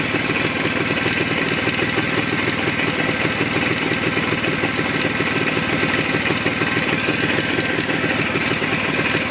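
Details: Jawa 634 two-stroke at idle with fast ticking knock about three per second; not felt at the spark plug, removing plugs had no effect, disappears when driving; owner suspects primary chain, unconfirmed.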